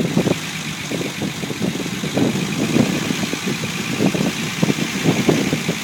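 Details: Unimog 404 first start after new fuse boards and a rewire: steady idle with even, soft pulses about twice a second over a light hiss; runs smooth, normal healthy idle.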